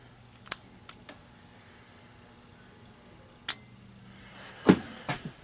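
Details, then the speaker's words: Thermostat low-voltage wiring short in an HVAC system. Sharp irregular pops from the short tester tripping, narrowed down to the thermostat red wire shorting. A loose thermostat wire was found earlier. "so she's popping and we got to figure out why okay I think I got it narrowed down it's in the red wire"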